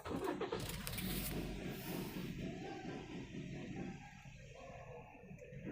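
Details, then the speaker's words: Toyota Altis with check engine and TRC lights on and a P0301 cylinder 1 misfire code. Cranks, then idles unevenly with a dropped cylinder after swapping coils 1 and 3; the misfire moved to cylinder 3, confirming a faulty ignition coil. "अभी देख सकते जो पहले एक number में misfire दिखा रहा था अभी वह आपका तीन नंबर सिलेंडर में मिसफायर दिखा रहा है"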